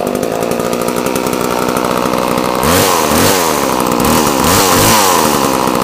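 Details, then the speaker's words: Homelite chainsaw after a clean-up following long storage, choke off, revved with the bar fitted: steady buzzing two-stroke run, then smooth climbing and falling surges with no misses or stumbles. "and then we'll give it a bit of a run, a bit of a rev up with the blade. It won't rev so high, so you'll be able to hear it properly."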